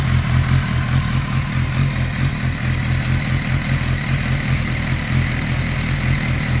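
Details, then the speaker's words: 1991 Kawasaki ZXR750 with twin turbos, idling after tuning; no exhaust smoke, idles on less throttle; steady even low rumble, no stumbling; normal healthy idle. "so much better I'm very happy how the bike runs down low it probably hasn't ran that good in its whole life at idle"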